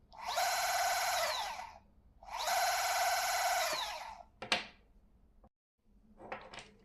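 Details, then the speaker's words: New Bafang M560RS mid-drive e-bike motor, 0 km, on the table with no load at high rpm: two bursts of high, even gear whine about 1.5 seconds each, no grinding; normal unloaded noise. "Don't be scared about this noise uh cuz the motor is with no load and is going very fast into the high RPMs. So, that's just the normal when you have the motors on the table."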